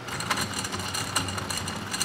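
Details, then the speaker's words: Submersible water pump from a Port-A-Cool Cyclone 2200 evaporative swamp cooler, plugged in out of the unit: rough gritty rattle with uneven ticking over the motor hum, sounds like bad bearings; pump later replaced. "does not sound like a healthy poem so turn this thing off sounds like bad bearings"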